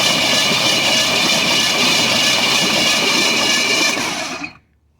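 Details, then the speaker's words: 1973 Ford F-250 unstarted for 18 years, oil added, plugs out, cranked via screwdriver at the starter; fast, steady whirring spin with even rhythm, no binding or clunks, engine turns over freely, not seized. "whoa all right well it turned over well i knew it wasn't locked but damn"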